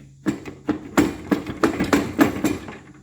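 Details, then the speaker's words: Toro push mower with Kohler XT675 engine, old air filter: uneven heavy clunks about three a second as the running engine bangs against the deck; the engine is loose from the deck. "y'all see what i see look at that let me see if i can hold the camera still doggone motors loose from the deck"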